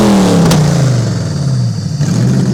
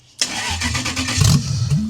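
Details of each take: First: Toyota 1UZ-FE V8 race car engine, warmed up on first run in years after owner's own rewiring: smooth even idle climbing cleanly through revs and settling without misses or knocks; normal warm-up idle and revving. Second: Racecar on its first start attempt after being rewired by hand with a fresh ECU: the starter churns for under two seconds with a few uneven pops but it doesn't catch; the ECU is not yet tuned.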